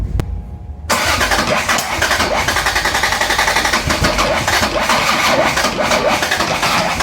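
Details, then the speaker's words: Toyota Cressida MX83, first start after engine reinstall, fuel primed, low oil pressure: starter turns steadily about four times a second but never catches; fuel and spark present, intake backfires, distributor suspected out of time. "Alright, so couldn't get it started, and was a little stumped. I had fuel, I had spark, but I couldn't get it started. My distributor probably wasn't in timing because I started getting backfires through the intake."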